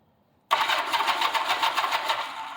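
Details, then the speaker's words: 1986/1987 Honda Gold Wing GL1200 SE-I, fuel-injected, sat for years; start button not working so starter solenoid jumped: engine turns over freely with quick even chugging but never fires; not locked up, starter good, cause unknown. "turns over. So it ain't locked up. Starter's good. So something is up."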